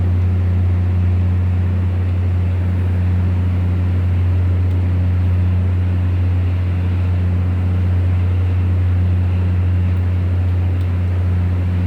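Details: Volvo TWD1463 GE diesel generator: deep, steady diesel drone with a faintly uneven beat about once per second, the rhythm of a cylinder misfiring under load.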